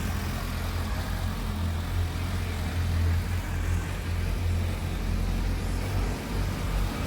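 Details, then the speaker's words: Suzuki Bandit 1250 S four-cylinder motorcycle with 7,686 miles: steady even idle after start, no knocks, ticks or misses; healthy. "Fire it up nice and smooth."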